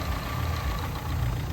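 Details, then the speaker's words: Renault Duster on a road trial at about 60-70 km/h in fifth, after the fifth-gear slip was fixed via the side cover and the gearbox refilled with oil: low even drivetrain drone, no whine, clunk or grinding; gearbox runs smoothly. "ನೋಡಿ full ಒಂದು 60-70 speed ಆಗಿದೆ. Double ಟಾಪ್ನಲ್ಲೇ ಇದೆ ಗಾಡಿ."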